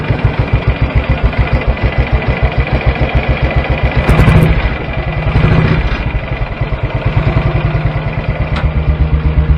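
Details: BSA B31 single-cylinder motorcycle, first run in a while after fitting a NEB belt drive and clutch, on the bench: loud single-cylinder thumps about 3.5 per second, slightly uneven, rising and settling with throttle blips; runs normally.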